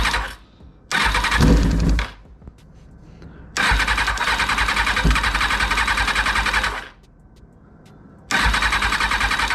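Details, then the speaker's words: 2000 Kawasaki ZX6R being rebuilt: repeated cranking bursts that briefly catch then die, never holding an idle. Ignition works. The owner suspects the fuel pump isn't delivering fuel, though the pump can be felt working afterward. "heard the bike it wants to start it will run however is failing to get fuel uh from the fuel pump"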